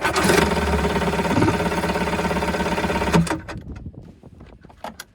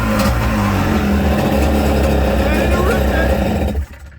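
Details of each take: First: 1984 JS550 jet ski, starter solenoid bypassed with jump starter: engine churns about three turns a second for three seconds with no firing stroke, then stops; cranks but no spark, owner suspects corrosion in start button. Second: 1984 Kawasaki JS550 two-stroke jet ski after the corroded starter switch electrodes were cleaned of saltwater corrosion: catches and runs strong and even with a crisp buzzy note, then shuts off cleanly; normal start and run.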